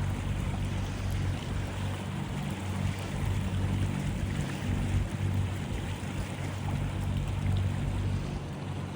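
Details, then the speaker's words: Yamaha 70 outboard on a boat on the water, on a cold day, just back from $3,100 of repairs after bad-gas damage; steady, even drone over lapping water and wind, no stumbles or knocks; normal running. "Yeah, the engine sounds like it's running really, really well. That's good to know."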